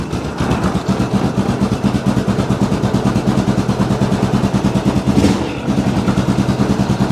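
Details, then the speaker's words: 2002 Yamaha Grizzly 660, a single-cylinder ATV that had sat for 8 years, running cold after the idle was turned up slightly. An even, steady thump with no misses, knocks or hunting; it sounds really good. "there we go that sounds really really good this like i said this thing hasn't ran in eight years"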